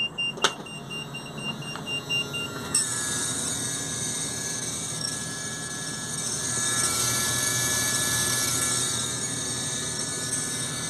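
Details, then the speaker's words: GM Workhorse chassis American RV: hydraulic AutoPark parking brake assist motor with reservoir whines steadily and never shuts off; pressure switch stuck, pump running constantly. "so it's coming from this motor here and it's got a little reservoir there so what is this unit it's a hydraulic uh parking brake assist"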